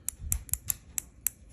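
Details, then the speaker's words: New Tsurinoya Spirit Fox FX50R baitcasting reel (5.6:1 gear ratio), drag knob turned by hand: six crisp, loud, even clicks at about four a second. A normal, healthy, strong drag clicker. "Wow. So you can hear the drag clicker. It looks really nice."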